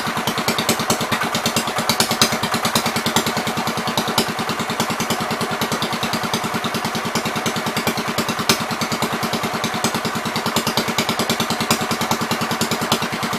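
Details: 1973 John Deere 110, after carburetor cleaning: runs with a steady, slightly uneven thump of about three beats a second and some clatter. It now gets too much fuel, gas seems to run straight through the carb, and the owner suspects the needle is hanging open.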